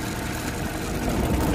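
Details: Fuel-injected Suzuki Multicab idling: short, uneven idle with a low thumping stumble as one cylinder, apparently number three, drops out, diagnosed without an OBD scanner.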